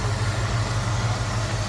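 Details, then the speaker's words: Idle of the 289 V8 in a 1966 Ford Mustang convertible, hood open. A steady, even low rumble with a soft regular pulse; smooth and quiet with a little exhaust note and no knocks. A normal idle. "Look at how smooth that runs. Engine doesn't hardly wobble, if at all, and sounds good. Nice, smooth, and quiet. A little bit of an exhaust note from it."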